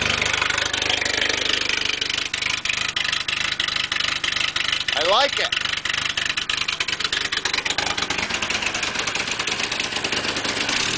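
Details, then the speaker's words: Engine powering a pump on a hot tub project, suspected failing head gasket (water in oil), with repaired head pipe and new open dual exhaust: loud raspy burble at steady idle about three pulses a second; normal idle. "um um sounds good"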